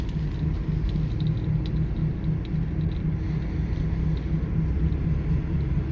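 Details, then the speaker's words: 2009 Toyota Sienna FWD 3.5 V6 coasting off the throttle on a quiet road: low droning rumble with a slow wobble, which the owner attributes to a bad front wheel bearing, thought to be on the passenger/right side. "It's like wobbling sound if you drive at the quite uh like uh not too much cars in the road."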